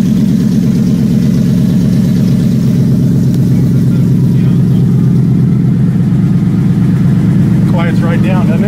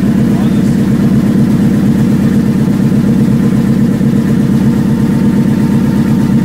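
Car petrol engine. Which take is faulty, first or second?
second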